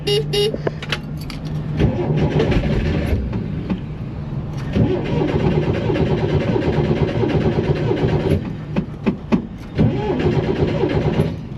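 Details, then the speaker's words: 1967–69 Chevrolet Corvair, sat for years unrun and left outside in the rain; long even cranking bursts with pauses, never fires; crank no start. "oh well it's a no start I'm going to guess it's been sitting for a while"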